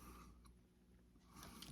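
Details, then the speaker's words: Canon camera from auction bag with new batteries: crisp mechanical clicks and brief whirr as shutter lock, shutter and flash cycle normally; flash fires and ready light works. "Looks like that locks the shutter. There we go. Let's try the flash. Oh. And we have flash."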